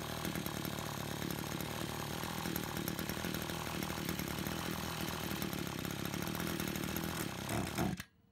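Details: Brush cutter two-stroke after repair of a fuel leak from a split hose (it had stalled while mowing): loud, steady buzz at high revs with no misfire or surging, then clean shutoff; running properly.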